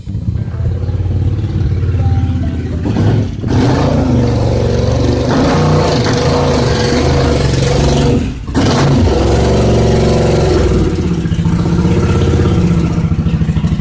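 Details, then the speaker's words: 1986 Suzuki Intruder V-twin after cleaning threads, refitting the main jet and replacing leaking fuel hoses: blips up and drops back cleanly, lumpy low beat with no misses; runs all right. "put the thing back together and finally it starts and runs all right"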